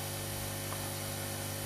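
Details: Aoyue 968 hot air unit after repair with a new heater and a new 1.2 ohm fuse resistor, following sparks and smoke: even, steady low hum and airy rush from the blower with no rattle or wavering; working again, temperature possibly a tad high.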